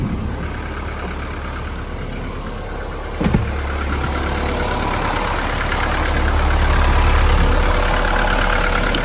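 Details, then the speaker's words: Old Mercedes 123 diesel, abandoned five years in a backyard, charging only 12.2 V: even diesel clatter keeps idling after the key is turned off. The engine will not shut off, and the owner wonders if switching on the A/C caused it. "Ну что глушим А что он не глушится интересно"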